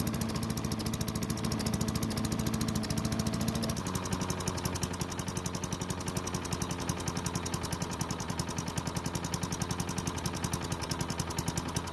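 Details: Craftsman chipper vac with single-cylinder Tecumseh engine, long stored, holds a steady, even beat after a brief dip, no surging or over-revving as before (suspected stuck governor); runs well despite low compression.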